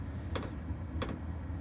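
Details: Sharp single ticks about every two-thirds of a second over a low hum: the all-in-one diesel heater's dosing pump clicking normally at start-up, set to 8 by remote, in the step of a 2012 Ford E250 van.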